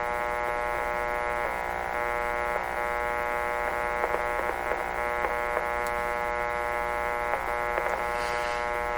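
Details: 1925 Magnavox Type D TRF radio powered up but receiving no station: steady buzzing hum with crackles; owner suspects the loose detector tube's bad pin contact, grid leak resistor also under investigation.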